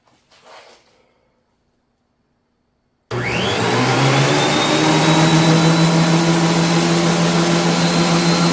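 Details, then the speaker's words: Older, rusted Ridgid 13002 planer that sat unused in a shed for quite some time, plugged in and started after cleanup and repair: motor spins up fast to a steady, even hum and whine with no grinding or rattles. Normal motor running. "all right don't look good at me i wouldn't necessarily know any better but it does sound okay"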